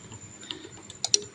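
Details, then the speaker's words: Honda Click 150 scooter with check engine light on that won't start: a few sharp clicks in quick pairs from the relay, with no cranking. The relay works; a loose ECU wire prevents starting. "Ay ang problema niya is ayan check engine siya ayaw niya mag-start. Pumipitik lang yung kanyang relay."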